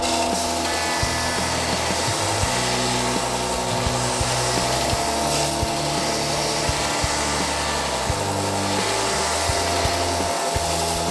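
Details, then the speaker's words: New Ridgid R4840 oscillating belt sander with 80-grit discs sanding sapele wood and MDF; even motor hum with short scraping bursts as the wood is pressed on, cutting cleanly with no buzz or rattle. Normal operation. "initial test on some sapili wood and also some mdf cuts really well it's got 80 grit discs so it's fairly aggressive"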